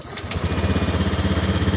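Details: Honda Beat FI ISS scooter with hesitation on throttle, idle check during diagnosis: even, steady putter of about twelve pulses a second, no misses or surging; idles smoothly and normally.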